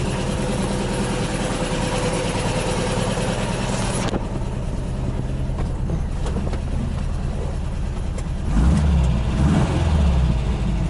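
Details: 1979 VW bus air-cooled flat-four with twin Solex 44 carbs, big heads, Scat 35 cam, 2100 kit, J pipes, oil cooler, years after rebuild and running well: steady even idle then a couple of clean throttle blips, revs freely; normal revving.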